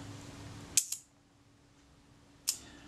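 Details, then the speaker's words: Kodak Retina Reflex type 025 during servicing, shutter cleaned and tested out of the body: crisp clean snap with a quick follow-up click, then another sharp release; shutter fires well with no drag. "it doesn't sound too bad I'll go and test it it sounds pretty good to me"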